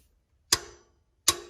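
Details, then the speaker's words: 1999-2007 GM/Chevrolet truck, new idler pulley's 15 mm bolt tightened: two sharp metallic clicks as the torque wrench releases at its 37 ft-lb setting; old pulley wobbled and ground from worn bearings. "You hear that click right there, then you know it's torqued okay."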